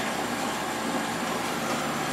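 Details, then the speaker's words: Late-90s 40-pint Whirlpool Accudry dehumidifier, Embraco reciprocating compressor, Emerson fan motor, opened up: steady hum with smooth fan rush; compressor and fan normal, discharge line warm, evaporator and return line getting cold. "But discharge line is getting warm, and the evaporator is getting cold already. Even the return line is getting a little cold."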